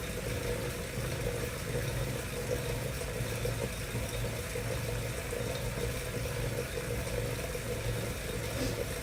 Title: Wahoo Kickr Making a Strange Noise